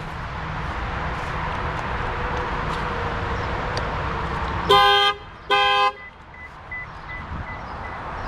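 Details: 2006 Lexus IS 250, sitting nearly a year with dead battery: two loud horn blasts about half a second each, then quiet; security alarm tripped as soon as the new battery was connected.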